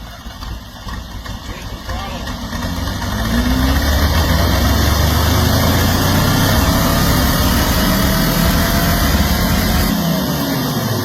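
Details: Mazda RX-7 at first start after a carburetor rebuild with a homemade gasket: the engine catches and rises to a loud, uneven idle that lopes and stumbles. Carburetor still needs tuning; cause of the rough running not confirmed.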